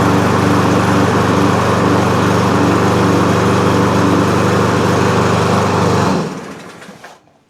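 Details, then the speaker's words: Cub Cadet push mower, MTD Powermore engine, after rocker stud repair and new NGK BPR5ES plug: even single-cylinder putter at low steady speed, then shuts off and winds down. Engine speed too low, to be adjusted. "Doesn't seem to be running perfect, but fired right up and it does run. I could hear as we ran that that the speed was real low. So, we're going to adjust the engine speed."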